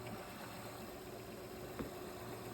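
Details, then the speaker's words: 2007 Honda Odyssey 3.5 V6 after replacing the timing belt, water pump and leaking hydraulic tensioner: starts well into a quiet, smooth, even idle with no knocks or ticks; a whine is heard, which the owner thinks is the starter. "yeah sounds good sounds good sounds good I think we did it I think we did it guys so all right starts up it starts up really good"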